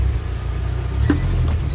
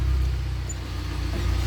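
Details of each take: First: UAZ Patriot rear axle at steady driving: dull single clunk every two to three seconds over road rumble; loose pinion bearings in the differential, addressed by pinion (tail shank) adjustment. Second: UAZ Patriot rear axle after reassembly and pinion (tail shaft) adjustment; bearings were found damaged: while driving, only a low, even road rumble with no rhythmic knock; the axle knock is gone.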